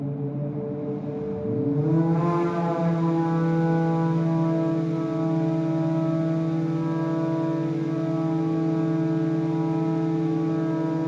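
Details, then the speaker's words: Collins Aerospace hydraulic ram air turbine in a wind tunnel test: low tone climbs quickly over about two seconds past threshold then settles into a steady even hum; normal spin-up, at steady speed delivering 3,000 PSI and about 5 GPM hydraulic load. "and you can hear the turbine. It takes off. Once it gets going, it takes off pretty quickly and immediately starts."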